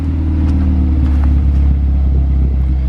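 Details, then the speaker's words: Ford Focus ST with a newly built replacement engine (Speed Performance pop n drop kit) after the stock one blew at 450 whp, catless downpipe with resonator: really cold start, deep even low rumble, steady idle beat, no knocks or ticks; healthy cold idle. "i do have it resonated so that's why it's not as loud so i do have a catless downpipe"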